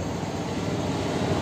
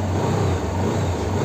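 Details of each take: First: TVS Apache RTR 160 BS6 before repair: rough uneven idle, rpm won't hold steady, heavy missing and jerks, stalls when throttle released or clutch pulled; cause found as dust-filled dirty throttle body. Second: TVS Apache RTR 160 BS6 after throttle body cleaning: steady even idle, no missing or stumbles, rpm holding constant around 1500, no check-engine light on start; normal idle.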